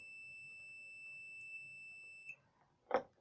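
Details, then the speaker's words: Multimeter continuity test on a jumper wire: a steady high beep holds about two seconds then stops, showing the wire is intact; a cut wire would give no beep. "ये देखिए इसका मतलब इसका मतलब हमारा wire जो है वो एकदम ठीक है। अगर ये वायर कहीं कट होता तो ये बीप नहीं बचता।"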